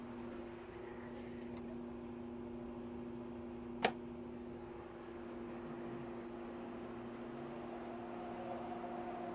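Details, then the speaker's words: Pentair Clean and Clear pool filter after replacing cracked lid, lid seated flush, band turned on, air release closed, pressure gauge reading high: pump hums steadily with no hissing at the lid, seal holding, no air leak. "So right now you would hear the air hissing if it was leaking."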